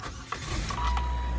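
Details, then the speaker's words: 2005 Saturn Vue, sat a couple of months but cranked regularly; catalytic converter faulty with warning light on. Short crank catches almost at once, turns right over, settles into steady even idle: normal engine start. "I'm going to turn it on so you can hear the engine crank up it's been sitting for a couple of months but I always Crank It"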